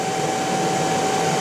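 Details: Motor recently rebuilt by specialists, run on a Korean inverter: steady high whistle near 800 Hz over even motor hum; owner suspects the motor, cause unknown.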